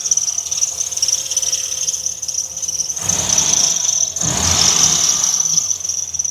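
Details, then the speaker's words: Dodge Ram SRT10 V10 pickup, sat for months, first running after ASD wiring fix: steady high shrill squeal over low idle rumble, swelling with revs; drive belts slipping. "So seems like our ASD wiring issue was the problem. Bunch of belts squeaking, that's for"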